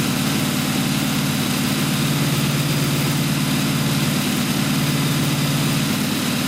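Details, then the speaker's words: Newly built blown 355 Chevy V8, Weiand 6-71 blower, two Holley 600 carbs, solid roller cam, target idle about 1,200 rpm at 12.8:1 AFR; deep steady lumpy idle with even beat, no misses or knocks, sounds healthy, maybe a touch rich. "once we get it back idling at about 1,200 rpms the air fuel ratio should stay right about twelve point eight to one"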